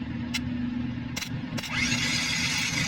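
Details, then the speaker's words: Isuzu 4JB1 diesel that would not start, starter tested: a few sharp clicks, then the starter motor whines up to a steady spin; the motor itself is fine, but its drive is sticking and fails to engage properly. "so B pasabot an mga guys okay siya ang iyang motor okay ang iang motor motuyok siya ang diperensya lang niya katong starck niya h siya map h Siya mulabay hinan ba ano siya Igo siyang mupilit mga guys"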